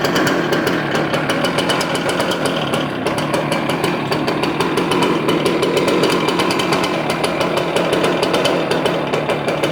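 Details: Stihl BR350 blower with new carburetor, filters, spark plug and primer bulb, after the old coil rubbed the flywheel: harsh, uneven popping chatter, backfiring out the carb. Cause not yet found.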